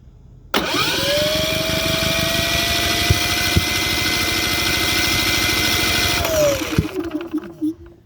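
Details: Cummins P4500i cranks with a steady whir for about six seconds, never catches, then winds down; a no-start.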